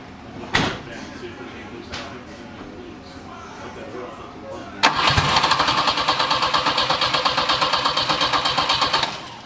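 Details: Turbo Volvo 740 with a fuse-blowing wiring fault, cranked after a relay swap with the fuse now holding and a fuel smell: starter spins steadily, about three even beats a second, but it never catches; cranks, no start; owner suspects the main fuel pump.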